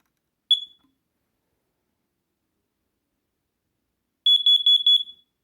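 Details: Small home smoke alarm kept close by, during a round of smoke and CO alarm tests: single sharp high chirp, then a quick run of about six shrill pulses on test; the alarm works properly.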